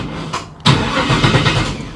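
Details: 1957 Chevy hardtop being completely rewired with new ignition: starter spins the engine at a steady, even cranking rhythm without firing, as fuel pump and ignition are not yet connected; cranking sounds healthy.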